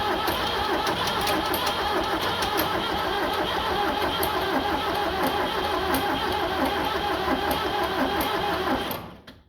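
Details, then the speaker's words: 7610 diesel tractor cranks steadily about three turns a second for nine seconds but never fires; jump pack on fully charged battery, fuel on, fuel seen at opened lift pump; owner unsure if no compression or fuel issue, plans ether. "not wanting to start okay I don't know what's going on I don't know if we have no compression or I mean it looks like it's getting shed to it"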